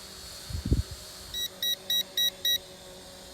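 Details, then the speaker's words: Eachine E511S foldable GPS drone (Mavic Air clone) on its first flight in cold weather, being brought down manually: five evenly spaced high chirps about a third of a second apart, the low-battery warning beep. "try to bring her down manually but she's still beeping that it doesn't matter the battery"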